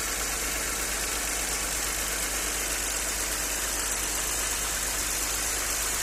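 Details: Audi 100 C4 2.6 at idle: fast, uneven light knocking over a hissy top end; owner asks what is knocking, cause unknown.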